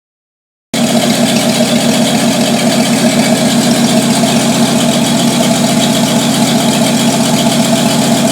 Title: 1949 Studebaker truck after fixing vacuum leak!